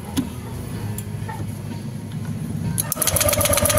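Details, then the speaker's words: Honda Vario 150 scooter, no ignition: rapid even starter chuffing about four beats a second, sharper ticking near end, never fires; original coil's spark small. "kalau kalau koil ini kita tempelin ke masanya sini ada setrumnya tapi kecil kan ya tetapi saat kita pasang e kita dekatkan ke businya motor enggak mau menyala ya"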